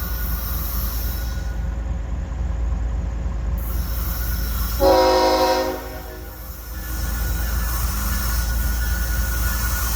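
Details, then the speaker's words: Freight train passing at night with steady rail rumble and clatter, then a shrill high-pitched squeal of about a second as the cars go by; source unclear. Squealing noise. "the heck is that noise? Isn't that a weird noise?"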